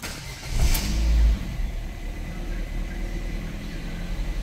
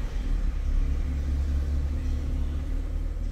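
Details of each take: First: Ford Fiesta on a cold start, before repair: engine catches, then the idle surges up and down erratically; live data shows an erratic TPS reading. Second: 2010 Ford Fiesta 1.6 petrol with an intermittent erratic idle when cold, now warm after revving: a deep steady rumble with no hunting or dips, idle stable and good.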